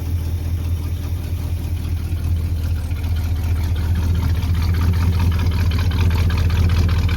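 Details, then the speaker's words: 1985 Chevy C20 V8, sitting over 10 years, just revived and warming up: low, choppy idle about two and a half pulses per second, possible slight lifter noise; revs fine, cause of rough idle not yet found. "Sounds good when you rev it up, but it's idling real low and it's real choppy, so we'll have to see what's going on with that."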